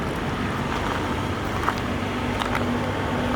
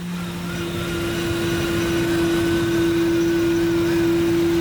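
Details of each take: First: 1992 Lincoln Town Car limousine after cleaning the idle air control valve: quiet, smooth, even idle with no more air-leak hiss when revving, slight exhaust crackle; engine running cleanly. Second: 1992 Lincoln Town Car limousine at idle after sitting abandoned for years: steady droning hum with a thin whine as the whole intake vibrates; fixed by cleaning the dirty idle air control valve, after which the noise and air-leak sound were gone.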